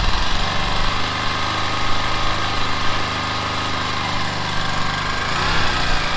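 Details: Honda XL500R motorcycle with XL500 engine, parked a year, on fresh fuel: single-cylinder thumps along at a steady low idle, even beat with no knocking or misses.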